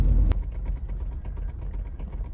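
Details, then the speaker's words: Long-neglected Citroën SM, just revived, probably old gas in the tank: lumpy, uneven low rumble with no steady beat before it stalls. "okay oh it's stalled see if we can get it going again"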